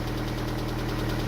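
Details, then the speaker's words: MG petrol engine on first start after a repair attempt; steady low idle drone with a faint, regular knock on top and heavy exhaust smoke; the repair failed, engine knock at idle, cause unknown. "That sounds like it's still fucked."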